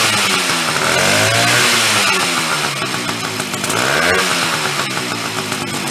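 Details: Chrysler Sno-Runner snow cycle (title says 1979, speaker says mid-70s), sat over 40 years, revived; two-stroke started on choke with a shot of old fuel, raspy buzz rising and falling with throttle blips, catching and holding revs on its own; runs again.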